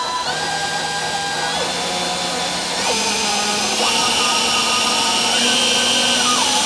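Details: Kavan Skyfox L-39 RC jet's 80mm EDF: a high wavering whine stepping with throttle over an air rush, sounding like an out-of-tune radio while spooling at idle, with no impeller vibration; normal fan whine.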